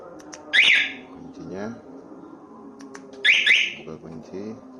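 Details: Scooter fitted with a remote alarm/starter wired without a relay, no key in the ignition: two short sharp high chirps about three seconds apart, the alarm confirming unlock.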